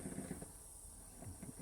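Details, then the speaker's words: Wilesco D455 toy steam engine, tablet-fired: very quiet soft hissing chuffs in quick even beat, no knocks or clatter; normal running. "Quiet. Yeah. How quiet that is. Very quiet."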